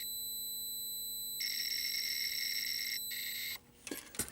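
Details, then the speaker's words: 1983 Atari Cloak and Dagger arcade PCB set under repair, game running; logic probe on audio output gives high buzzy tone about two seconds, breaks and returns, showing live sound on both channels. "so you can see when that logic probe goes crazy that sound"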